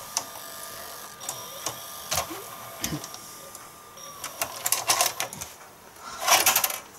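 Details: Sharp VC-MH75 VHS player stopping after fast forward and ejecting the cassette: light clicks, brief motor whirr, quick mechanical clatter as cassette lifts out; transport working normally.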